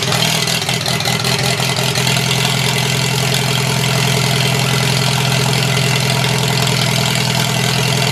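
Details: Four-cylinder engine starting in cold, windy weather after its cables were cleaned; it leaks some gas. Idle settles but stays slightly uneven and lumpy, not firing cleanly on all four. Owner plans to clean it again. Rough running.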